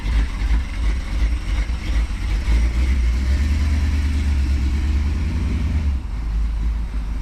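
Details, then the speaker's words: Dodge Challenger with 440 V8, sitting 15 years and restarted: deep, heavy V8 burble with a slight loping beat from the camshaft, running steady and even; normal running. "do you guys hear the way this thing sounded god it sounds good love a global like a bit of a camshaft"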